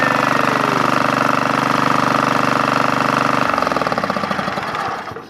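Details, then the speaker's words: Craftsman GT5000 lawn tractor twin after Woodruff key replacement, first start: hard, throbbing pulses for three seconds, then slows and dies; heavy shaking vibration, cause unknown. "didn't break nothing yet let's see if we can turn on the the mower vibration power that Vibra could vibrate like that wrong"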